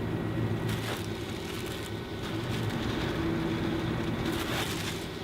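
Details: Fantastic Fan roof vent fan installed over old vent, on lowest setting: steady low hum with soft even whir and some rustling, no knocks or rubbing; normal running on low.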